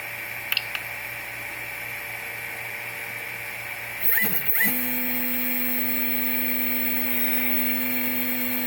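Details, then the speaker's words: Replikeo Prusa i3 3D printer Z-axis steppers, jogged manually via the LCD controller with no load and X strapped away: clicks, a rough jolt, then a steady hum. The motors turn, pause, and stop if driven too far. They are not hot. Marlin firmware is Replikeo's setup, uncalibrated. The owner suspects conflicting direction signals. "It's like they go, you know, turn, and they pause, turn, they pause, turn, they pause. If you go too much, they just stop."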